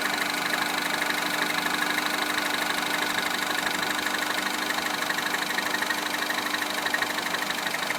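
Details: Citroën DS3 Racing engine at idle: steady idle with a quick, even light tick about three per second over the engine; cause not evident.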